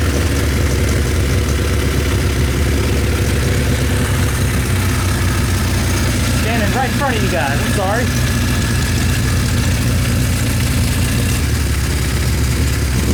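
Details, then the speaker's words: Recommissioned 1974 Kawasaki Z1 900 with new exhaust, first start after revival: lumpy, slightly uneven idle over a low rumble, sounding like it is running on three of four cylinders; pipe temperatures then checked with a laser thermometer. "Kind of sounds like it's on three. Yeah, it does."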